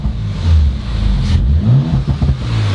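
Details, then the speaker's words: Rebuilt 2019 Audi RS5, no muffler, no longer smoking: loud, deep blips rising and falling cleanly with throttle, no misfire or rattle; normal free revving. "this sounds hecka good with no muffler it's not smoking no i think it just burned off whatever there was"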